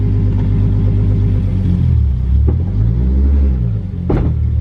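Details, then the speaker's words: Nissan 240SX S13 with a 555hp 2JZ and a long-used welded differential, shifted from reverse into first. Low idle rumble, then a sharp, loud bang as drive engages. The clunk confirms a damaged differential. "i'm pretty sure you guys can hear that one that was loud as hell okay so that confirmed that something's wrong"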